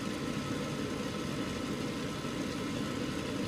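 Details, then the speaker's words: Gas furnace restarted after tune-up and flame sensor cleaning: exhaust (draft inducer) fan comes on first and runs with a steady, even whoosh and hum, no rattle or wobble, while igniter warms up; normal operation. "So, exhaust fan comes on first. It's usually the regular sequence of operation."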